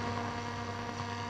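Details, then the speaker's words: Telefunken Operette 8 tube radio under restoration, RF coils rebuilt after open coils were found, external antenna switch open (antenna connected): even hiss with a low steady hum underneath and no station, nothing to receive. Normal static and hum. "because we've got practically nothing to receive it's not surprising"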